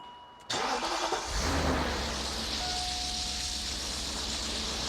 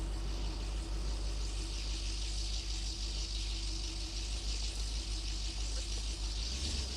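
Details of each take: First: BMW Alpina B10 4.6 V8 (pre-OBD) that sat about 12 years, run up after revival: brief crank, catches cleanly and settles into a steady, slightly fast idle; smoke clearing, still missing a little, temperature gauge no longer erratic. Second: BMW Alpina B10 4.6 V8, just restarted after about 12 years sitting and warming up: steady raised idle hum whose revs sag near the end; the stuck cold-start valve holds the idle high and it drops when released.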